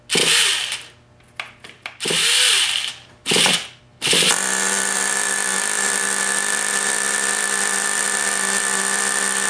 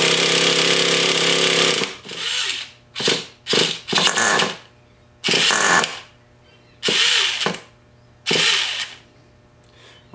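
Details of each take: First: Rebuilt Traxxas T-Maxx .15 nitro engine, first fire after a missing copper gasket and a loose glow plug were fixed: several short starter bursts, then a high, steady buzzing whine as it runs normally; the starter one-way bearing is still faulty. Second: Rebuilt Traxxas T-Maxx .15 nitro engine with new electric starter motor: short uneven bursts of high buzzing cranking stopping and restarting as the starter's one-way bearing slips; engine starting to fire, bearing needs replacing.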